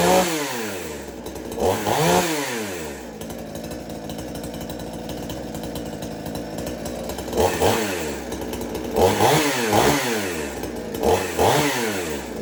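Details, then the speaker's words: Extreme Power 82100 XP chainsaw fitted with a Salem Master muffler: crisp revs climbing and dropping in quick bursts, settling to a steady idle. Good throttle response; it runs healthy. "And it allows it to run a lot better with good throttle response and a good idle speed onto the saw. But luckily it didn't scream too much. But I was very happy the way it runs."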